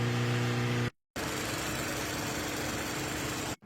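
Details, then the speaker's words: Mazda started after transmission replacement and subframe install with fluids topped off, warming up at a smooth, even idle hum with no knocks, ticks or hunting; runs normally. "As soon as the subframe is installed, I like to top off all the fluids, and then I get in the car and turn it on just to make sure everything is good."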